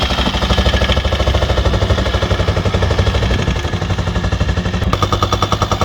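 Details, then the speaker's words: VW T5 4WD van, 2.5 BNZ diesel, bought not starting: heavy hammering clatter about 2.5 beats a second over rough idle, no power, couldn't climb a hill; owner suspects worn camshaft and hydraulic tappets, a common problem on this engine. "As you can see in here, the engine has absolutely no power, it makes horrible noises, and I was trying to go uphill and didn't manage. I figured out it could be the hydraulic tappers and the camshaft, which is a common problem on this 2.5 engine."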